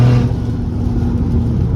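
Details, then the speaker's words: Mk5 VW Golf R32 converted to turbo, driving under load: deep steady engine drone with no whistle, flutter or rattle as boost schedule works, vacuum off boost then building boost normally; normal turbo spool. "so guys that's the Boost schedule working breathing vacuum at the moment and then we'd boost when you get into the booth"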